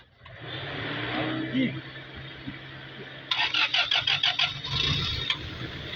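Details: Toyota Altezza being treated for a misfire, started after the intake gasket was refitted and vacuum pipes checked: a steady, low petrol idle hum with a burst of quick high chatter midway.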